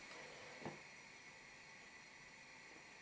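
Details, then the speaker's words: Tilley TL14 paraffin pressure table lamp, late 1930s, ran a couple of hours non-stop without problems: soft, steady, even burner hiss with no sputter or surging; running normally. "it's burning nicely now and I had this going for a couple of hours non-stop last night no problems at all you listen carefully it makes a little hissing noise"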